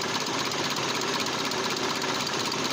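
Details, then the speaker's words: SAAB 9000 turbo abandoned 5 years, new battery and spark plugs, restarted: uneven, shaky idle with a ragged harsh beat; engine shaking badly and starting to die, owner unsure why, suspects misfire. Rough running. "and restarted but oh man the engine seems to run really rough i'm not sure what's that why is like that but it doesn't seem that the turbo is blown because no smoke"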